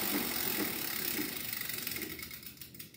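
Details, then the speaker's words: Bicycle wheel spun by pedaling: light rhythmic scrape once per turn, fading as it slows; rim dented by many impacts pushes the tube out in a bulge that rubs the brake pad, repaired by straightening and truing the rim. "si escucha como suena porque padeció porque el ring ha sufrido muchos golpes abolladuras las cuales se salieron y hacen que una especie de montaña de tripita se salga y pegue contra la la zapata"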